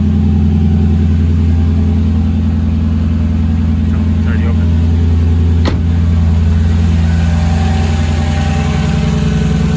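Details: Mercedes C55 AMG V8 idling after its first start following battery relocation to the trunk, in neutral: steady, even low rumble with no misses, knocks or ticks; normal idle.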